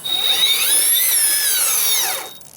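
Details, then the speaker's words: RC rock crawler with Holmes Hobbies Revolver 540 motor on 3S, geared low, full throttle on backyard trail: high gear whine rising and falling with throttle, louder than the mild metallic, turbo-like motor sound; normal gear whine. "it has a very very mild metallic sound to it it just sounds like the beginning of a turbo spooling up and it doesn't get much louder than that as I increase you can hear the gear ears more than you can hear the"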